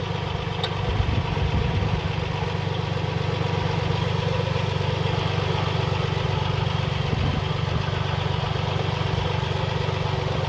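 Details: Car engine idling after a loose pulley was removed and spun silent; faint, even churning hum underneath; noise traced to the water pump, antifreeze leaking and puddling beneath the pulley.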